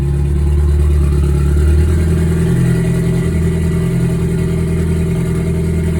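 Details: Ford Focus at cold idle, after recent spark plug and fuel injector replacement; timing suspected off. Lumpy, uneven low thrum with a stumbling beat about three per second; scanner shows misfire count six, cylinder three misfire.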